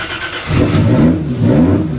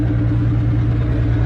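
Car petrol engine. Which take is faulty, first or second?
second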